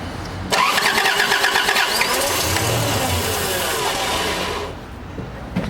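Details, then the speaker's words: 1988 Toyota Troop Carrier, carburettor and distributor replaced then parked five years, run with fuel poured into the bowl: catches, runs rough a few seconds, then dies; starting and stalling from fuel starvation. "okay so you heard it start you heard it stop you heard it start you heard it stop that's our issue there"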